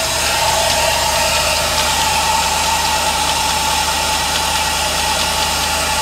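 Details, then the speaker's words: 1988 OBS truck with an LS swap (junkyard 6.0 with 4L80E) idling: a loud idle with constant scraping, hissing whir between the tensioner and alternator. The serpentine belt is riding on the back of the pulley from misalignment; the engine also has a miss. "this makes so much damn noise between the tensioner between this tensioner and this alternator right here man it just makes a lot of noise man"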